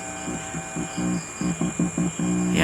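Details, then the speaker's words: Lexing 230 mixing amplifier after volume control replacement, signal injected at the RCA input of the formerly dead channel: choppy, buzzy, gritty, distorted audio instead of clean sound; other channel clean, fault remains. "So audio test tayo. Kaya lang, garalgal yung narinig natin na audio. So ibig sabihin, may sira pa itong amplifier na ito."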